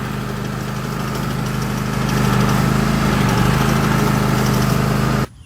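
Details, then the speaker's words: 2016 Husqvarna LGT2654 lawn tractor with bagger: engine drone is quiet while the brake pedal is lightly pressed, then a louder whirring rumble starts when it is released. Transmission ruled out; owner suspects an idler pulley, spring or retainer. "as long as i'm barely touching the brake pedal you're not hearing any sound whatsoever but as soon as i let off there's the sound"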